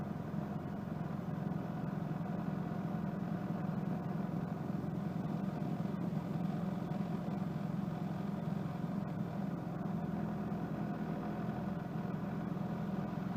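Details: 1992 Mitsubishi Lancer GTI EFI engine after installing a new KIFECO MAF sensor, cold start settling to smooth, even, low idle with a steady beat and no stumbles or misses; normal cold idle after rough idle and power-loss fix.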